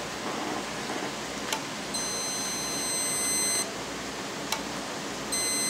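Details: Homebuilt amp keying box for an HF tube amplifier, inline on the antenna feed and keyed by a handheld CB: a multimeter on ohms across the 1/8 inch jack gives a clean high continuity beep, stops, then returns as the relay closes.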